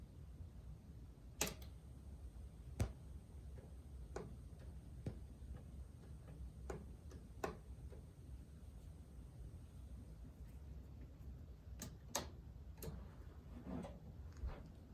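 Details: Fully restored Sansui CA-3000 preamp with BA-3000 amplifier: sharp, irregular pops over a low hum when the Treble switch is flipped up and the Bass switch down with Tone engaged; owner suspects a failing transistor or a fault in the tone circuit.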